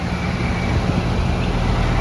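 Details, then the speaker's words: 240VAC central AC condenser on Powerjack 12000 AMG inverter, drawing about 37–40 A DC at 48 V: steady low hum and fan rush, even drone, no knocking or squeal; started without trouble, normal running. "I'll check the temperature here in a minute, but it appeared to have no trouble starting her."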